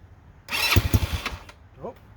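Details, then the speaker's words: Cheap Chinese ATV, first start attempt, fed from a portable gas tank with ignition and battery on: fast uneven cranking chatter for about a second with a few near-firing pops, never catches; owner says it's wanting to fire and may need gas. "it's already wanting to fire it up. I might have to give it gas."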